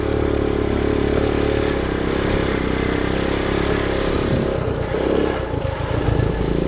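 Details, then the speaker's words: 1974 Honda Trail 90 (CT90) that sat since 1984, revived, with the idle bumped down: the small single fires with one kick and settles into a low, steady, even idle with no misses; normal idle. "one little kick fires right up and go back down to the bottom"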